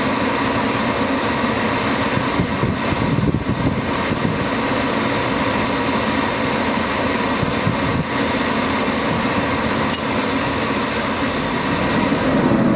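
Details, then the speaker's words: Gas furnace firing on a heat call with the thermostat jumped out and the draft motor running, after a popped rollout switch (suspected wind gusts rolling out the flame); even, steady burner roar, no popping or flutter, some gusty air noise; normal burner operation. "We just fire it up. It's fired up."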